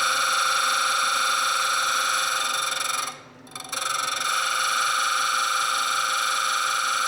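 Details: Stone bead spun against a grinding setup: a steady high grinding whir cuts out for about half a second, then returns, as the bead loses contact at a remaining flat spot; grinding continues until the flats disappear.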